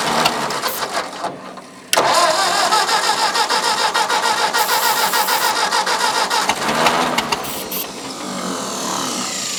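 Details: Old Ford farm tractor, possibly an 8N, cranking on ether: starter grinds and kicks out, engine pops and sputters raggedly without running; carburetor fuel delivery suspected; cranks but won't start.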